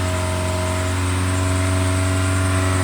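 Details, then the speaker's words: 2006 Toyota Corolla (9th gen E120) after rough-idle diagnosis and fuel injector cleaning, just started after building fuel pressure, still warming up: steady, even idle with no misses, racing slightly before settling; normal idle. "yeah that's raging a little bit but it'll learn its idle"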